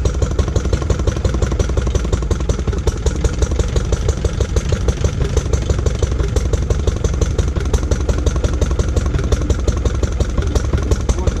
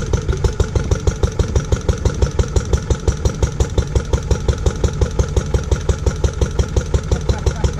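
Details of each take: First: Lister D petrol single-cylinder barn find, first start in 20+ years after restoration: sharp firing near 170 a minute, jumpy and irregular, hunting at idle. Owner suspects too much timing advance and settings needing adjustment; uneven running. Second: Restored barn-find Lister D petrol engine, once driving an Aerograph compressor, at its first start in over 20 years. Slow, steady single-cylinder chuff at about three beats a second with no knocks; the engine is sound. It is somewhat jumpy, and the owner suspects it needs a timing adjustment.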